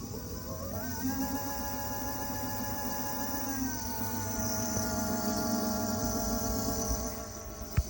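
A steady high whine with several stacked tones climbs as the motor spins up, then holds; cause unclear, may be normal.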